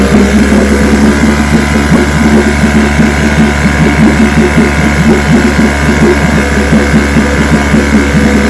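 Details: Vintage restored-then-repaired outboard on day five of a daily start test, full throttle, started on the second pull; steady, even two-stroke buzz with a fast regular firing patter and no misses or knocks; healthy.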